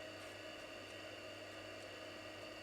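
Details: Commodore Amiga 2000 floppy drive after head cleaning, lubrication and adjustment: steady light whir over a low hum, no clicking or grinding; head seeks smoothly, sounds perfect now.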